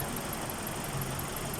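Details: Nissan Sunny that had a crank-no-start problem, after repair: quiet even low engine hum with no knocks or misses; steady normal idle.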